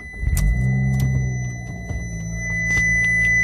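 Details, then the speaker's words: Abarth started right up after its engine bay was sprayed out with a garden hose while the engine was cold: catches and settles into a steady low idle hum with a faint high whistle, no knocks or misses, no warning beep; normal idle. "Good sound. Not the beep. The car sounds good."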